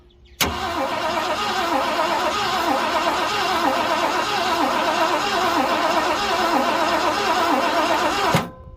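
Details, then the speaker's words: 1967 Ford Galaxie sitting 35 years, temporary battery: starter churns steadily about four beats a second for eight seconds, never catching; no spark at the plug and no fuel coming out; coil, cap and rotor to be checked. "there's no fuel coming out on the bucket and there is no sparks try again"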